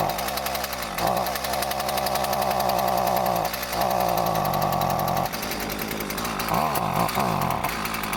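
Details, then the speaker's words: Husqvarna 128CD trimmer after replacing parts, choke on, smoking: buzzes hard but surges and sags every couple of seconds; running rough, owner suspects untuned carburetor. "She ain't happy. Guess back to the drawing board."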